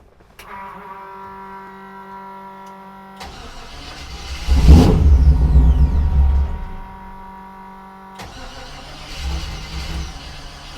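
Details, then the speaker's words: 1948 Mercury pickup, first start in 50+ years; catches on fuel poured into the carburettor with a rough burst, revs briefly, then dies back to cranking, fuel-starved; owner suspects a gummed-up carburettor. "Weird. I think our carburetor might be gummed up cuz it's not getting fuel."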